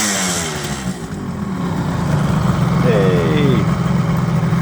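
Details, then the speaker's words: 1978 Kawasaki KH400 two-stroke triple after storage, carbs done: crisp buzz climbing smoothly as throttle opens, holding an even beat; now running on all three cylinders, revving properly. "sounds good oh sounds good yeah I think I think it is and now it's running on three"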